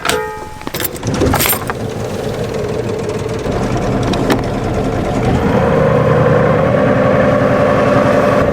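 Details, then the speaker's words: Marine boat gearbox remounted on engine after cone (clutch) repair, shaft connected: engine runs steady, then constant mid-pitched whine joins after a few seconds; strange gearbox noise persists, cause unknown. "a bit strange still ah that's a shame yeah i don't know"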